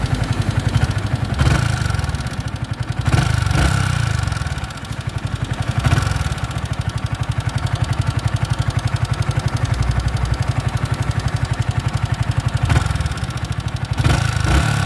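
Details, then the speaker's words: Yamaha R15 V3 motorcycle idling with a light, quick ticking over the low engine note plus a few brief blips; loose rockers suspected, to be checked first, not confirmed. "तो ये कुछ गाड़ी की engine की आवाज़ है ऐसी। तो इसके लिए हम सबसे पहले इसके रॉकर चेक करेंगे, कहीं ऐसा तो नहीं है कि इसके रॉकर लूज़ हैं।"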